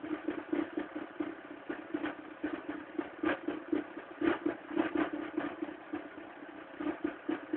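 An uneven clatter rides over the cold idle, roughly two knocks a second and not quite regular, so something is noisy on cold start.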